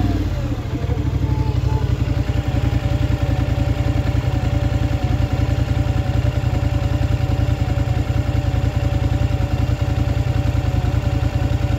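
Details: Scrambler XP1000 S at idle: steady low idle with a regular clatter of about two and a half beats a second over it; weird noise, cause not yet clear.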